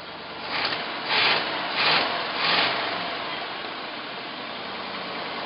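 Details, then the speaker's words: Hot-rodded 1983 Jeep CJ7 rock crawler with Chevy engine, 4-speed and NP205 transfer case, first run since purchase: a few throttle blips, then a steady, even idle with no misses; runs like a sewing machine, though carburetor secondaries open too soon. "runs like a sewing machine guys this is the first time i've had it running"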